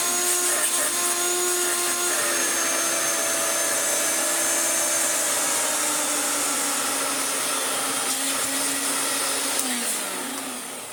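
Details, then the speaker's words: Hoover Turbomaster Electronic Total System vacuum after restoration, with new motor bearings, new brush roll bearing and cleared airflow, tested on the tool setting: steady high even whine with a clean airy rush and no bearing grind, winding down smoothly; healthy motor. "the motor has new bearings a brush roll has new bearing everything is clean spotless and yeah this thing has amazing airflow now"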